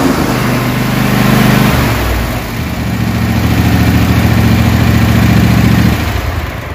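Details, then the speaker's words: Craftsman DGS 6500 mower, Kohler Pro 26 hp V-twin that was puffing smoke, after carburetor reassembly, on a little choke: smooth, even idle with steady hum, one brief sag then recovery; idles much better. "so let's put it back together and i'm going to show you what it runs like now a little bit of choke already you can hear it idle much better"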